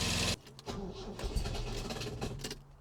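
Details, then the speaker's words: Supercharged MGB, first start after engine pull, oil leak fixes and new supercharger camshaft, wet cold day: harsh burst as starter engages, then irregular clunks and scraping, no clean crank; owner suspects faulty starter pinion, not confirmed. "I think it was the starter motor. I think it's there's something wrong with that pinion gear that throwing it in and out. Might need a new starter motor, I think."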